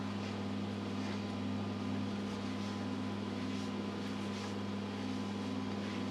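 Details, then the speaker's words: British Seagull two-stroke outboard, throttle freshly freed from seizure, first start attempts out of water: steady low drone with harsh, uneven metallic rattle; the bottom plate has come loose with its screws backed out. "oil that grind didn't sound that doesn't sound good sounds like something's come loose okay what the hell's that making that noise botom plates somehow come come loose"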